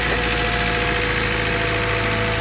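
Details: Honda Civic running rough: steady idle with an uneven, lumpy beat under a constant hum, consistent with a misfire. Checking plugs, wires, distributor, rotor and points is suggested.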